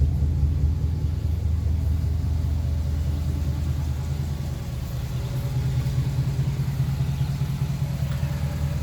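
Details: Restored 1956 Ford Victoria V8 with 47,000 miles on the odometer, pre-purchase inspection; even deep idle burble, smooth steady beat, no smoke, knocks or ticks: normal idle.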